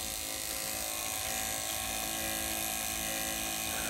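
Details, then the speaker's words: Lotus Elise fuel pump, revived after a no-start: steady, even electric buzz holding one pitch, no stutter or rising whine; pump delivers well, normal operation. "débite super qu'est-ce que je me suis embêté en acheter une autre"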